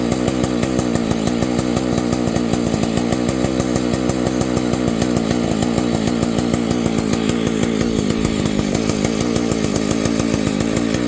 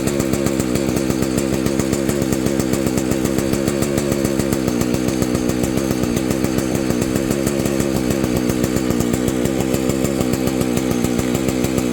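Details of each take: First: Vintage Husqvarna 285 chainsaw, rebuilt with replacement cases and cylinder: starts easily, rapid even two-stroke idle with steady popping beat, then stalls after idling and repeats after a few minutes' rest; owner suspects ignition problem, not confirmed. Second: Vintage Husqvarna 285 chainsaw rebuilt with replacement cases and cylinder: steady, even high-revving buzz with a consistent firing beat, no misses. Normal running, though the owner says it later stalls after idling and suspects ignition.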